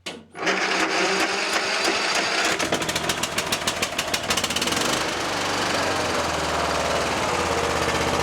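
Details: Troy-Bilt XP Horse lawn tractor, engine swap from a parts mower, weak battery/jumper pack, carb solenoid clicking: starter cranks, engine catches with rapid popping, then fades and dies.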